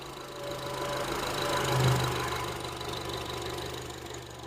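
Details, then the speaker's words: 2007 Honda CR-V with code P0304 and idle and stalling problems, during a coil-pull test: the idle note sags and roughens as a coil is lifted. Earlier there was no change, so that cylinder is now firing. "let's see if it does that now yep see change the engine when I lift the"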